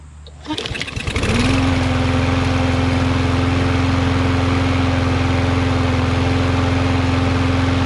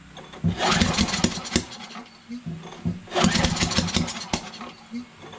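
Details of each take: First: Yard Machines MTD 21" mower, Briggs 550EX, after bending the bar to raise rpm slightly: pull start catches, then a steady, even hum at constant speed, about the right rpm. Normal running. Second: Free Yard Machines MTD 21" push mower, Briggs 550EX auto choke, brake cleaner sprayed in: two recoil pulls, each a brief cough and rattle that dies; cranks but won't start. Spark confirmed; owner suspects off timing, sheared keyway or valves; piston moves, rod not blown.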